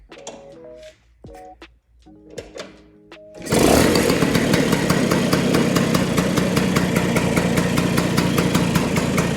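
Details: Vespa two-stroke after carburetor setting for fuel economy, both jets fully tightened and air screw at two turns; after a few clicks it fires into a steady, quick, even popping idle, running clean, normal idle.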